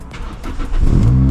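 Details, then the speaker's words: Toyota Celica 2ZZ with high idle bouncing 1,800–2,000 rpm: engine catches and holds a steady, raised idle despite cleaning the idle air control valve; IACV looks like it needs replacing. "after a drive it's still idling up here looks like it needs to be replaced"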